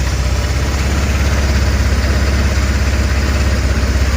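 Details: 1,567-mile GY6 150cc 157QMJ scooter idling after a valve cover gasket replacement: a steady, even low thrum with no misses or stumbles, and no leak. A normal, good idle.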